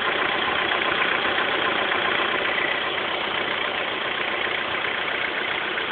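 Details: 2006 Honda S2000: quick, fairly even metallic engine rattle at idle, about two or three a second, present for a week; owner suspects the timing chain tensioner (TCT), unconfirmed.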